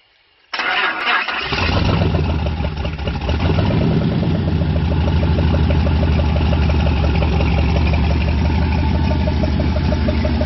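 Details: Engine first start after rebuild with new Gen 4 rods and pistons, oil pump, cam, lifters and gaskets: brief crank, catches cleanly and settles into deep, steady idle with no knocking or ticking.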